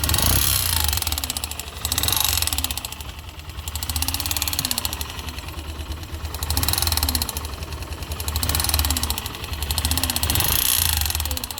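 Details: YB motorcycle with a light, uneven knocking over a lumpy idle that swells and fades every couple of seconds; abnormal engine noise, source unclear.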